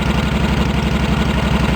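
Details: Cub Cadet 1650 4WD tractor build warming up at fast idle on a straight pipe with no baffle; loud, blunt, barking unmuffled pulses, a loud unbaffled exhaust.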